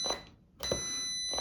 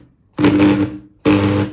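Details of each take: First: Angle grinder that hums but won't spin, multimeter continuity test across plug with switch pressed: clear high beeps; cord and switch circuit intact. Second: Angle grinder that hums but won't spin, speed regulator at minimum: three short bursts of a low steady hum with no spin-up.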